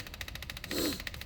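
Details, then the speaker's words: Detroit 40 series generator turbo diesel (rebranded Navistar DT466, possibly DT530), sat outside 5+ years, fed from a jug: fast, even clatter with a swell in speed; idle hunting, throttle pulsing, owner suspects the flywheel governor. "like I said this uh throttle is like pulsing in my hand so there's some kind of flywheel governor in there"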